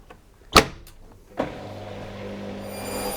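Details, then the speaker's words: Washing machine, levelled with nuts tightened, spinning with three towels as a balanced load: a thump as the drum starts, then a smooth hum rising quickly to spin speed without knocking; slight movement is normal. "Now that the machine has a balanced load, you can hear that it's spinning much more effectively and comes up to a spin speed far quicker. As you can see, there is some movement in the machine, but this is perfectly normal."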